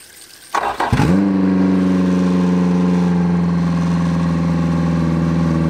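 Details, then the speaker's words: Freshly swapped-in Yamaha 90hp four-stroke outboard (replacing a 60hp two-stroke) on an 18-foot G3 boat, first start on a water hookup: it cranks, catches within a second and settles at a steady fast idle. The idle is high because the throttle linkage is misadjusted and needed adjusting. "the motor started up we had to actually adjust the linkage"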